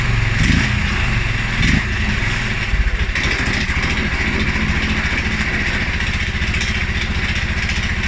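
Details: 2011 Polaris Sportsman 550 XP: a couple of blips, then the idle drops low and thumps unevenly and stumbles, as it also does on cold start and after rides. TPS, IAC, TMAP, valve clearances, timing, plug and 43 psi fuel pressure are all good. Rough low idle, cause unknown.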